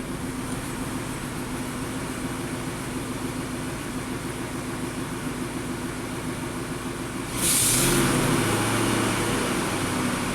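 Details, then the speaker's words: 2008 Ford F-250 5.4L V8, 219,000 miles, swapped engine, hard cold start, stalling, low power: idling with a low uneven lope, intermittent cylinder 5 misfire on power balance, cause not yet found. "so now let's fire it up again see if we can get the cylinder number five to misfire and see why it's doing that"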